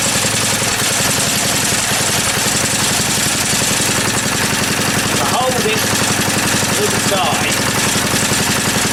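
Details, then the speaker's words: Small engine after fitting a key and setting the air gap: fast, regular popping about three or four a second, even and steady, note changing slightly; running properly now. "Hear the note change slightly, but it actually works now. There you go. It actually works."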